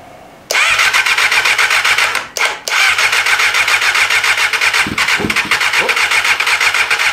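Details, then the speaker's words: 1988 Kawasaki ZXR250 road bike, first start attempt on a rebuild project with bigger jumper leads and little or no spark seen: rapid even starter cranking with one brief cough that never catches, and it keeps dropping out. "Come on. We got a cough. Ooh. Slightly better than nothing. It keeps dropping out."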